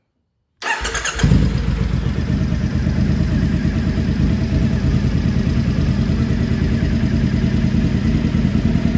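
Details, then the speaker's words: 2015 Triumph Speedmaster EFI twin idling just after AIR system removal: steady, even lumpy idle after a clean start, no exhaust popping or backfires, where it popped badly before; normal idle. "i don't hear it now i'm gonna let it run for a minute or two and then i'll come back and we'll rev it up a bit see if throttle response is b"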